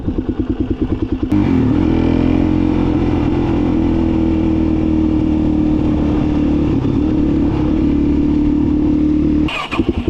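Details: Suzuki DRZ 400 (KLX 400R) single, after winter of work: climbs quickly and holds steady, clean high-rev tone without stumbles or rattles; fires up every time, though owner suspects fuel starvation later.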